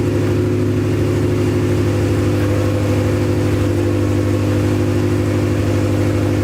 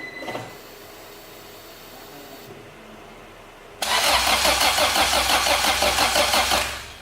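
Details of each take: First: Acura Integra first start after crank, no-start troubleshooting: runs strong and even at raised revs with a steady drone, no misses; run only briefly, no coolant in system. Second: Acura Integra crank-no-start: steady even cranking about three turns a second for nearly three seconds, never fires; fuel pump primes, but test light shows no spark at the plugs or at the ignition coil.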